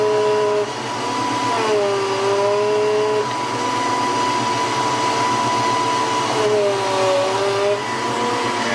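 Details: 1993 Ford Mustang GT foxbody with Coyote swap, engine running while bleeding hydroboost and brake lines: steady high power steering pump whine that bends lower as the wheel is turned; air in the hydroboost system.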